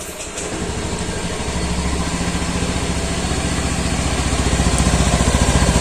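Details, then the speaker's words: Honda Scoopy K44 2016 scooter run daily on used Shell Advance oil: idle is smooth and even with regular putter, no roughness or knocking, no smoke from exhaust; only body panels vibrate from cracks. Normal idle. "Kalau kalian yang tahu ngeresin atau ngerti mesin ini suaranya halus, mulus, gak kedengaran kasar ya."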